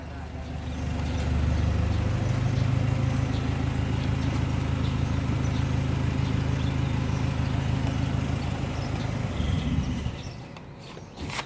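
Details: Mazda CX-5 rear differential: loud, steady low droning howl for about ten seconds, then cuts out; pinion bearing broken, pinion and crown gear wearing each other, blamed on low or neglected differential oil.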